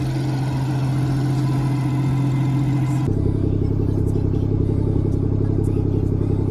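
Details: 2017 BMW 440i xDrive B58 manual, cold start after PCV diaphragm and valve cover replacement for low-rpm idle instability: steady, even idle with a smooth low hum, no ticking, whistling or stumbling; normal idle.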